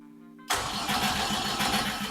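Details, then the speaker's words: BMW E30 with a $200 junkyard Volkswagen 07K 5-cylinder swap, first start attempt. Starter turns the engine over at an even quick rhythm without firing; OBD2 shows a crank signal, while the fuel pump isn't priming, possibly a poor ground. "So, we got crank signal, baby. So, that's good."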